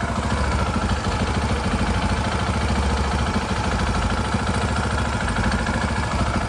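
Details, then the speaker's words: KTM 690 single-cylinder after repair for a growing engine noise: steady, even idle thump with no top-end clatter; much less noisy, back in business. "It's a lot less noisy. Hi, little girl. >> Back in business."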